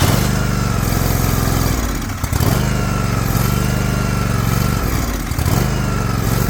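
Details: Liquid-cooled Kawasaki twin, John Deere LX178 mower, air cleaner refitted, cranked in the rain to pick up fuel: low steady chug sagging twice, at about two and five seconds, then recovering; carburetor flooding, fuel filter suspect.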